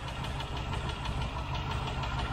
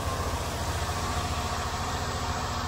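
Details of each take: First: Rover V8 with good oil pressure, cold start after half a mile, idling with one light, sharp tick at about seven per second over the rumble; one faulty hydraulic tappet, not an exhaust manifold leak. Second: Rover V8 with new camshaft and hydraulic lifters, after fixing tappet ticking by checking lifter preload, running at 1500 rpm: even, steady beat with no top-end tapping; a little lubricant burning off the exhaust.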